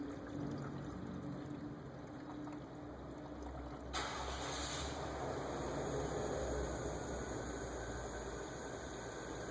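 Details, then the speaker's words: 1998 Chevrolet Lumina 3.8L 3800 V6 after water pump replacement, filling coolant with the bleed screw open. Quiet idle, then a sudden hissing rush with sputtering as trapped air vents; keep adding coolant until it comes out, then close. "there was some little bit of coolant spitting out of there and some air you can hear the sound of air but uh just keep add coolant till you hear air rushing out and you see some sputtering of coolant"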